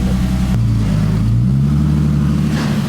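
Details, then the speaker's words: BMW E30 with freshly rebuilt forged turbo M50, exhaust fitted but no muffler yet, fuel VE just leaned from 85 to 70: brief rev settles into a steady, even idle with no misses or knocks; running smooth. "This thing is running so smooth now that I have an exhaust on there and you can finally hear it"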